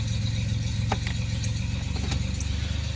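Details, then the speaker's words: 1989 Chevrolet Celebrity 2.8 V6, 3-speed automatic, 173,000 miles, crankcase vacuum leak capped off, idling in gear: steady, even low pulse with no stumble or miss, just a faint light clatter; runs smooth. "And it runs fine. Put it in gear. Smooth."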